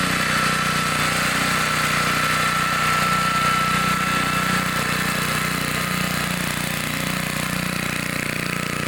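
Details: 1960s Bolens 28-inch Lawn Keeper mower, unadjusted carburetor, untouched at least 15 years, cutting grass set low: steady, even single-cylinder drone holding speed, no misses or knocks; runs good, normal running under load.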